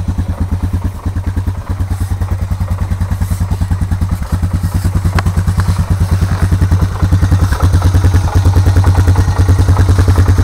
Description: my 2004 honda recon es with a noticeable engine knock at idle. cold start